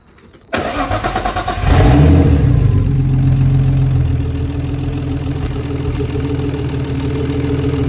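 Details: Nissan R34 Skyline RB25DET after fitting a replacement CAS sensor, the old one destroyed, during cam seal work: brief steady cranking, then the engine catches cleanly into an even, smooth idle with no misses or knocks.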